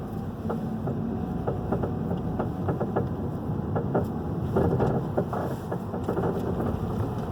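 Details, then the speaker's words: 2011 Hyundai i30 2.0 at low speed: dull, irregular clunks that seem to get louder through the roundabout, heard only on smooth pavement and not every time. Two shops had failed to find it. Worn stabilizer link. "Vocês viram que o barulho é bem aqui, pra gente estar no carro, é bem perceptível. Sem andar em pavimentação irregular, para de bem, não faz nada. É só assim, bem no pleninho."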